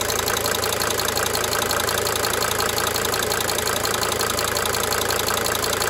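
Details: 1992 Mercedes-Benz 300D 2.5 turbo diesel at steady idle: a crisp, fairly regular tick about three per second rides over the clatter, cyclically fading in and out. Injector ticking, not confirmed.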